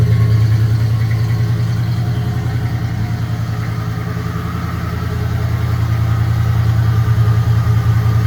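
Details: 1996 Ford Bronco V8 with 248,800 miles, on a winter-long cold start after sitting 2-3 years, holds a steady, even idle with a smooth low burble and no knocks or misses; a healthy cold idle.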